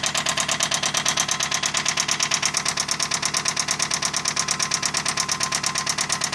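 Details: Toyota Camry at idle: a sharp, steady metallic knock about three times a second riding over the idle; connecting rod knock.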